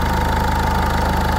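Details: 1.6 HDI diesel restarted after replacing all injector seals. Before, there was a leak and a badly seized injector. Now it gives a steady, even diesel clatter at idle with a smooth rhythm.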